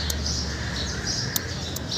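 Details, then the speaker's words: Bajaj Pulsar (220/180/150) self-start, relay on the left side: slow, sharp tick-tick clicks over a low hum with no cranking; starter relay clicking, starter motor to be checked next. "ये टिक टिक आवाज़ आ रहा है इसमें। तो जब टिक टिक आवाज़ आता है सोचोगे आप कि स्टार्टर भी ख़राब हो, तो स्टार्टर कैसे चेक किया जाता है उसका तरीका बता दे रहा हूँ।"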